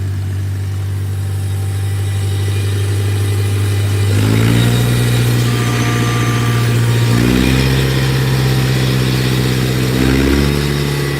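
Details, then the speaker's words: Tractor after its carburettor jet was cleared, started without choke: fires to a steady low idle and takes three quick blips cleanly, settling smoothly, no longer dying at low idle; water in the fuel had been suspected earlier. "Much better. Much better. Yes. And it's not dying now when I put it down here."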